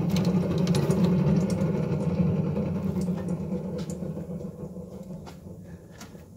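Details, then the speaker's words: Haas ST25 lathe running, listening at the spindle bearing housing: steady low hum with no grinding or knocking, spindle bearings smooth; the fault is instead the failed motor bearing. "this is the spindle bearing housing it's smooth"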